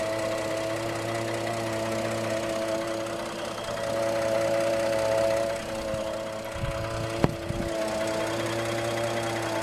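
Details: 2013 Ford F-150: steady idle hum with a faint, uneven light tapping on top; unusual engine noise, source unidentified.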